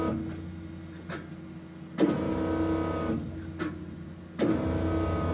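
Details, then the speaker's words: 1988 Ford F-150 4.9 five-speed after repairing a ruptured plastic fuel line above a full tank: key cycled about five times, each giving a short steady electric pump whine; normal fuel pump priming, no leaks found. "i cycled the key about five times or yeah i think about five times i'm sure you could hear the pump whining"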